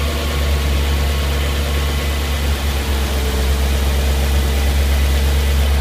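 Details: Audi S4 B6 engine at idle: steady deep drone with a faint irregular pulsing beat about twice a second; abnormal idle noise, cause unclear.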